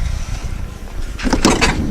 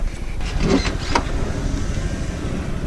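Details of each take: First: Van sliding door rolling shut with harsh scraping screeches and rattly bursts from dirty rails, heard during cleaning and before the rails were greased. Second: Van sliding door after its rails were cleaned with domestic cleaner and greased with cheap blue grease to cure a noise: low smooth rumble along the track and a soft thud, no squeal at all; the noise is fixed.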